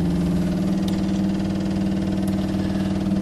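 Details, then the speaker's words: Electric fuel pump priming on a car being filled with petrol and coolant before start: rapid steady ticking about four per second never stops; no leaks seen, owner wonders if it's overcoming the carburetor float and flooding the engine. "I thought that uh fuel pumps stopped ticking when they've uh when they've got up the pressure"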